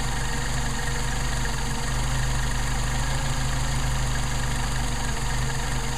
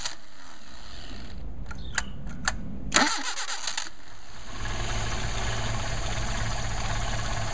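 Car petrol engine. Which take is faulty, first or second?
first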